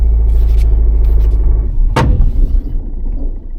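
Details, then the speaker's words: Low-mileage Peugeot 207 diesel at parking speed just after reversing out, low rumble then one sharp bang with no repeat as it straightens up; owner believes a coil spring broke, unconfirmed. "then just as straightened up as you just hear it gone bang that's happened to me twice in my career that I've had a broken spring"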